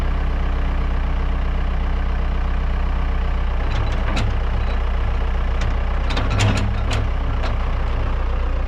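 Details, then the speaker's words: Kobelco SK120LC excavator diesel, started by sending 24 volts straight to the ignition with a power probe because of a wiring fault: deep, steady idle with an even beat and no knocks or misses; the engine runs healthy. "Okay. So, you can hear it. It fires up great. I mean, it really is uh a good running machine"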